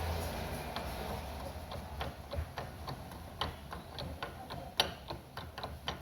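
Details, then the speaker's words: Chevrolet Celta/Corsa steering rack, disassembled and rocked by hand: irregular sharp clicks and knocks from worn internal play. Cause of knocking while driving over cobblestones. "Fazendo barulho, né? Tem folga. Que comeu legal isso aqui, ó."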